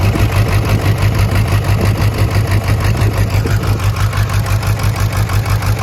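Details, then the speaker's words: Burnout diesel truck after cold, wet weather, jump-started: lumpy uneven idle with heavy lope about three times a second, not knocking, blow-by from oil fill cap, still has oil pressure; owner suspects broken or melted piston; dead cylinders. "Well, unfortunately, I think the engine is hurt. Thankfully, I don't think it's bad. Might have a broke piston, melted piston, something"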